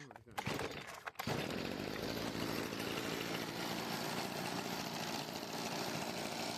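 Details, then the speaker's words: Stihl FS55 RC trimmer after a new ignition coil gapped at 0.38 mm and carb retuning. After a couple of pulls it catches and holds a steady, even, high-pitched buzz with no misfires or surging; runs cleanly. "But yeah, now it runs flawlessly."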